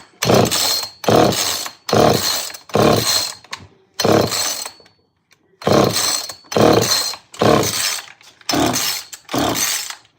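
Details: Old Homelite automatic chainsaw, choke used, good compression, carburetor limiter caps fitted: short revving bursts about once a second that keep dying away; it tries to catch but won't keep running, cause not confirmed.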